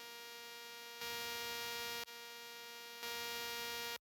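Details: Rode Wireless Go 2 plugged into a Sony camera (A7S III, A1 or FX3 type): a steady electrical buzz made of stacked high tones that jumps louder and drops out in steps. This is interference noise in the recording.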